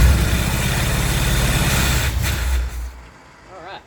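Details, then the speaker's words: International Scout II, sat six months, Optima battery, throttle held half open: engine catches and runs briefly on a rough, lumpy beat, then dies within three seconds; fuel not yet reaching the carburetor bowls. "you just got to get fuel up to the fuel bowls to the carburetor so I'm going to listen and run the accelerator pump here if I hear a squirt sound it's starti"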